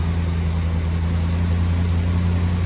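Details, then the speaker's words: Big block Chevy running on a used lifter over a wiped-out flat tappet cam lobe, warming, oil pressure just under 70, over 20 minutes in; deep, steady idle drone with no ticking or tapping, valvetrain quiet. "I don't hear any valve train noise at all. Sounds really good, but this is extremely risky, obviously."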